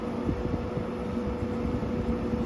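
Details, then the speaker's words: GE 6000 BTU window air conditioner, indoor fan switched from low and medium up to high speed: steady airy whoosh with a constant mid-pitched hum. Indoor fan is quite noisy on high. "You guys hear that? The indoor fan on this AC is quite noisy."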